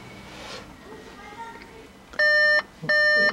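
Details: 2014 Volkswagen Beetle 1.4 DSG, front-wheel drive, 49,500 km, with stored P0236 boost pressure sensor fault and check engine light: ignition on brings two bright chimes about two-thirds of a second apart.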